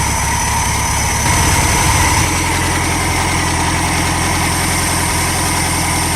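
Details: Air-cooled VW Super Beetle flat-four after replacing alternator, starter and distributor: steady even idle, pace shifts slightly around two seconds, then runs smoothly and consistently.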